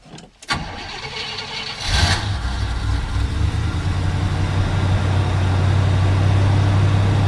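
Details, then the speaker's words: 1979 Hurst Olds with original 350 Olds V8, sat 9 years, old gas still in tank, cold start: short crank, catches right away, steady even low rumble at idle, no misses or knocks; normal cold start and idle. "Runs good. Sounds good. Stinks like old gas, but it's still running on the old gas."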